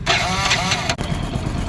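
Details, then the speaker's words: Hero Splendor iSmart motorcycle started before timing chain replacement: the engine fires and drops to idle with a light, rapid metallic rattle from the top end; timing chain badly worn out. "तो दोस्तों आप लोगों ने इसका sound सुन लिया, sound कैसा है। इसकी टाइमिंग चेन है बुरी तरीके से दोस्तों खत्म हो गई।"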